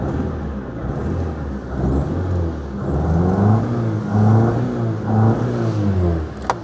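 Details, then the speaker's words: 2004 Proton Satria LXi 1.5 petrol, warm after a couple of minutes running, driving with engine management light on: revs stumble unevenly, lumpy, misfiring badly. "Well, it's really driving like an absolute bag of nails now. It's misfiring like hell."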